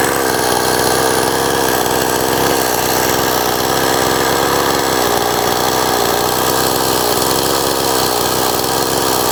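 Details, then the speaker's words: Old STIHL 026 chainsaw, hot after a test cut with bar and chain: rough, raspy, uneven high revs with weak pull, sounding worse when hot; poor compression, leaks bar oil. Diagnosis is a scored piston and cylinder. "And it does sound even worse after it's ran and it's hot like this. I'll just show you that. Hopefully you can hear all the noises here. That's not normal."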